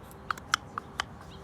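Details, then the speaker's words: 2005–2006 Toyota Corolla XRS throttle body worked by hand: sharp, uneven dry clicks as the plate catches and scrapes in a worn bore, causing hard or stuck gas pedal and P0505 code; fix is boring/resurfacing or aftermarket throttle body. "you hear when i'm opening it it's just bad the throttle body itself is bad"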